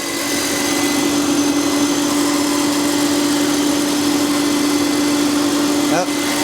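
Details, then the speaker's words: 2000 BMW 323i at idle: loud, steady high-pitched scream that doesn't let up, from the front belt area; fixed by replacing idler pulley and belt; idler pulley squeal. "And what we got going on with this one's making a really odd noise that I've never heard anything like."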